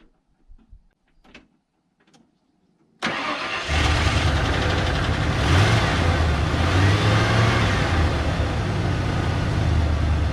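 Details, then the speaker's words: 1992 Ford F150 XLT after transmission work and no-start repair: brief crank catches fast and settles into steady even run with smooth low rumble; engine runs well. "okay it runs so well I think"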